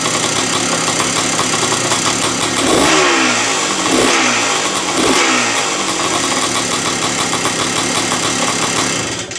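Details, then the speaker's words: 1978-79 Yamaha YZ250 two-stroke single with a 6-speed box, idling crisp and steady with a few light blips; idle is set a bit high but the engine runs clean and healthy. "So the idle's set a bit high, but it's running absolutely lovely."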